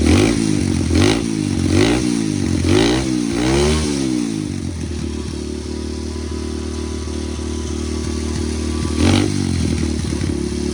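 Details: Atomik 125cc pit bike, single cylinder, cold start after locking up during riding and blowing heavy smoke: a few rough revs settling to a lumpy, uneven idle with light clatter; owner suspects top-end damage, bottom end likely okay, cause unknown pending teardown.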